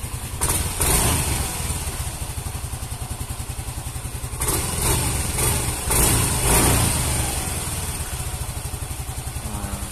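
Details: Yamaha Mio M3 scooter, previously hesitating with no power, after checking fuel pump pressure (about 40 rising near 80): crisp, even idle with clean quick revs, no stumbling; normal running.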